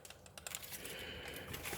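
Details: AK-917/787 RC car spur gear rolled slowly by hand against the pinion (32-pitch gears): light, uneven clicks; pinion-to-spur mesh set too loose.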